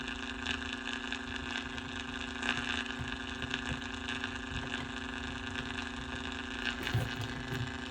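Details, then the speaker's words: 1949 Packard Bell AA5 Model 100A radio at 120 V on a variac: only steady low hum and faint crackle, no station; fault was an IF coil lead accidentally cut while testing resistors, needing resoldering to restore IF. "Found my problem. When I was testing resistors, I failed focus. I cut the lead on that one down in there."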